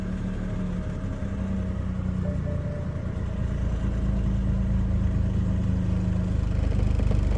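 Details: BMW E90 with N55 engine: starter churns rhythmically at about three beats a second but the engine never catches; cranks but won't start.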